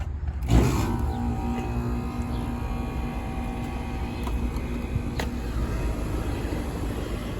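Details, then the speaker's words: Residential central AC that was blowing warm air, after its failed dual capacitor was replaced: a thump at startup, then a steady low compressor hum with an even fan whoosh. Compressor and fan running normally. "running beautiful all right let me get the blower and clean out all the debris in here"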